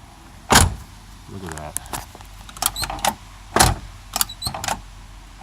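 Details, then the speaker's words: Cadillac door slammed shut several times, squeaking and creaking as it swings; the door has drooped, and the owner plans to realign it, repair the door striker and lubricate it after pulling the door panels. "I gotta pull the door panels get that action smooth hear that squeak makes me crazy"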